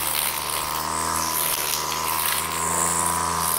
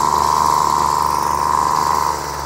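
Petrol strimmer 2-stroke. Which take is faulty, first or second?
second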